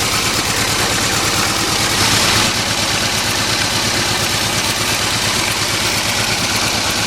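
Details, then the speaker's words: 1989 Isuzu Trooper four-cylinder idling rough with a dead cylinder from a blown head gasket, losing coolant: uneven, stumbling idle with a lumpy low pulse. "it runs rough it's got a dead cylinder"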